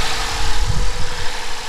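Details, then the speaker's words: Lexus IS250 idling just after alternator, serpentine belt and pulley replacement: faint steady hum over the rumble from a worn belt tensioner pulley bearing; replacement tensioner, idler pulley and belt on order. "seems like it's good nothing went kaboom i can hear the bearing on the tensioner but we're gonna that'll that'll be on the way it should get here in a few days"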